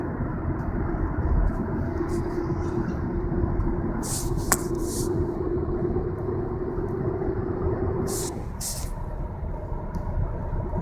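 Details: Steady low droning hum while driving that sounded like a bad wheel bearing but was noisy Continental tires; fixed by replacing them with Michelins.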